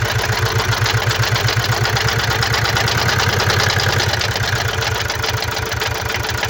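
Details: 2017 Mazda CX-5 (GH), 2.2 L diesel SHY4, 110 kW, 152,302 km, at idle: a hard, even clatter about four times a second, caused by defective injectors and a defective mass air flow sensor.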